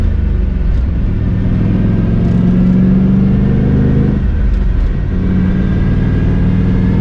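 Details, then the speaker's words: Volvo wagon with big-turbo LS6, 650 whp, new quiet 3.5-inch stainless exhaust, driving: steady low engine drone with faint even whine holding with road speed; differential whine now loudest noise, possible downpipe exhaust leak suspected. "the diff is now by far the loudest part i don't know if you guys can hear it it's kind of like a wine"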